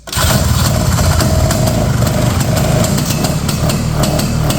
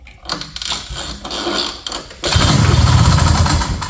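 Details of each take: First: 1970 Ski-Doo Olympique 335 two-stroke snowmobile, bought at auction, rear jacked up, choke off: rough, uneven sputtering that barely catches and dies while the high and low speed jets are turned in; flooding, with gas spitting back out of the carb. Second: 1970 Ski-Doo Olympique 335 two-stroke snowmobile, bought at auction, kill-switch pigtail unplugged, carb cleaner sprayed: one pull starts it, settling into a rough, fast, low idle; starts and runs normally.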